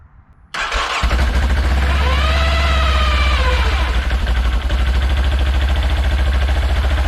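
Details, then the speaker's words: Segway Villain CVT clutch, cover off, engine started in neutral: loud squealing whine rises then falls over the idle rumble right after it fires. The clutch screams in neutral. "Now what I want to do is, while I got it off, is I want to see why it's screaming when I start it and it's in neutral."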